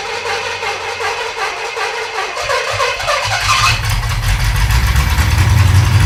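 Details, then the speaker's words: Pontiac T-37 junkyard car, first runs: cranks, catches and runs briefly with a loud, ragged, uneven rumble, apparently now picking up fuel from the tank; only about 10° of timing, to be advanced. "We're alive. I think we're picking up gas from the tank, too. That ran longer than it ever has."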